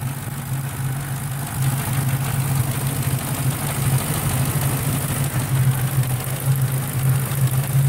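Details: Ford 4.6 with a Victor Jr intake and rails plus a new IAC valve, still idling high: fast, light sewing-machine-like ticking over an idle that sits steadily too high; the ticking source is unclear.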